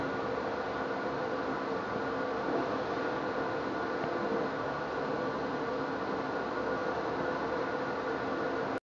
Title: Pulley Box bearing problem